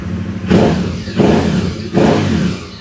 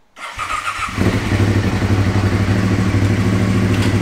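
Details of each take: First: Aprilia Caponord 1200 Rally revved after refitting an uncut original airbox sleeve with a K&N air filter; three short crisp, even blips with no hollow intake roar, noise now from the rear, intake sounds normal. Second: Aprilia Caponord 1200 Rally cold start with the airbox intake sleeve cut open for more air; catches at once into a loud, hollow, pulsing idle, excessive intake noise through the modified airbox.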